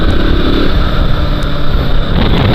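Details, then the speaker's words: KTM RC 200 BS6 single while riding: steady even drone under road noise, no ticking or chain rattle, sounding good today; owner says on other days timing chain sometimes makes a worrying grinding noise. "आज तो बड़ी बढ़िया आवाज़ कर रही"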